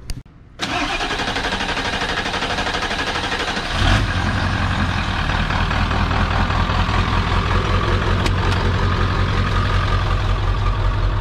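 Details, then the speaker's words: 1997 Ford F350 7.3 Powerstroke diesel (ZF5 manual) after new HPOP lines installed: starter cranks briefly, engine catches and settles into steady, even diesel clatter at idle; started and idled well, healthy. Normal idle. "And overall, it started up pretty good. It idled pretty good."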